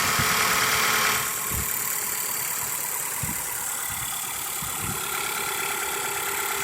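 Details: Petrol engine idling with a steady, light tick about four per second, after Sea Foam in the oil and about 30 miles of driving; sounds better and quieter but ticking persists.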